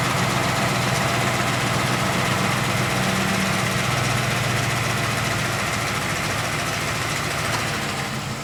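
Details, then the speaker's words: 2007 Ford F-150 Lariat 5.4L Triton V8, hood open: revved by foot to about 800 rpm, a busy metallic rattle over the V8 rumble, absent during the computer's own 800 rpm start-up high idle; owner suspects VCT cam phaser rattle. "the phasers make a rattle sound when my foot is on the on the accelerator revving it to 800"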